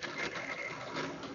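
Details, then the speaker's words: Old Athearn Blue Box model locomotive on hollow track at about 25–30% throttle, before restoration: the small motor buzzes with a coarse grinding rattle like a coffee grinder, and it runs in the opposite direction to standard. "it makes sort of a grinding noise as you probably hear these fast tracks are hollow so they tend to make a lot of noise but it sounds a bit like a coffee grinder"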